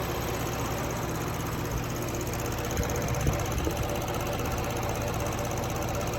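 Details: Toyota Crown 200-series 3.5 Athlete, 65,000 km, oil changed every 3,000 km, recently bought: steady idle with a fast dry rattling (karakara/garagara) and a faint whining hum; rattle source undetermined, needs closer inspection.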